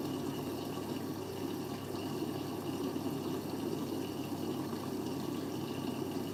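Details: Siemens 9 kg washing machine, Eco 40-60 with an 8.35 kg full load: steady gushing fill with a soft hiss through the i-Dos detergent dispenser and no knocks or grinding; normal.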